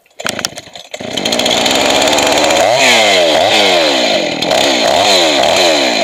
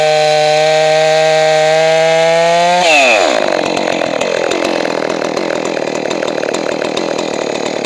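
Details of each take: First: Two-stroke chainsaw after carburetor rebuild, high-speed mixture adjustment: saw revs too high and lean, then wavers and sags as it is richened, set slightly rich since a lean saw leans out more in use. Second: Johnson Red 670 chainsaw after a Tillotson carburetor rebuild and high-speed adjustment: high buzzing idle, then screams up and holds under load, pitch dipping and recovering while cutting. Normal cutting, well tuned.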